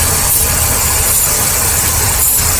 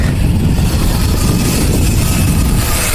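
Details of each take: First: Ford Taurus with P0171/P0174 lean codes idling while hoses are sprayed: bursts of aerosol hiss, idle stumbles when the spray hits a worn hose on the PCV valve, a vacuum leak. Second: Ford Taurus with P0171 and P0174 lean codes, idling after cleaning and tightening a leaking hose clamp; no hiss, and the engine no longer changes speed when sprayed with cleaner: steady, healthy idle after the vacuum leak fix.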